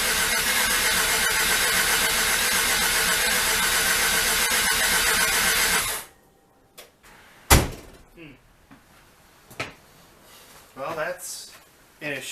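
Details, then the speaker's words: Rotary engine after reassembly, cranked for a quick start attempt: an even, rapid starter rhythm for about six seconds that never fires. It cranks but won't start; the cause is unconfirmed. "potentially doesn't even want to start I'm I don't know I don't think that's anything to do with spark plugs or something with the fuel"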